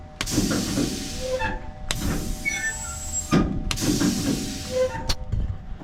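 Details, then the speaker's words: Tailgate actuator after a repair: an even electric motor whir with a clean start and stop and no grinding or popping, working exactly as it should. "That's exactly the way it's supposed to work."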